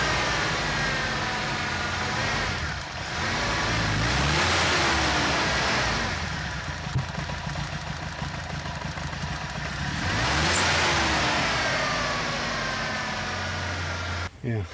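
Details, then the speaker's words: 1991 Ford Ranger 2.3 four-cylinder idling unevenly, revs surging and sagging, with bogging and misfire since a cam belt replacement; ignition control module was replaced before; suspected clicking idle control valve, EGR replaced two or three times. "as you can see she has issues um I did notice something though that there was an electronic there's like a mechanical clicking I think it was the uh idle control valve here that was going trying to maintain an idle"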